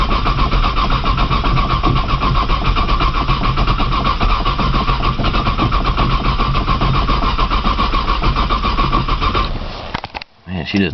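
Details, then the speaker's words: 1995 Nissan Maxima, 210,000 miles, push-button start, in snow and cold, new brand battery; steady rhythmic cranking about ten seconds that never fires, then cuts off; owner suspects a bad sensor; crank, no start. "I don't think she going to crank know what thing if I get it crank I need to let it run and charge a battery"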